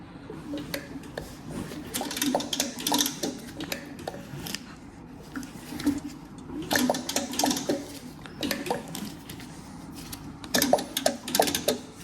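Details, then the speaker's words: Nova supercharged engine turned slowly by hand during reassembly: irregular loose clatter and clunks in bursts from the front, sounding like a broken timing chain, though the chain looks fine when inspected; cause still unknown. "it spins over freely but it sounds like the damn Chain's broken and when you look in there it looks fine"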